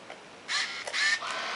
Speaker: We see the lens went up.